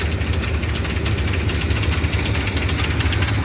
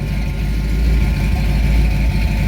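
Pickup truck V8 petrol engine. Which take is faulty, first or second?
first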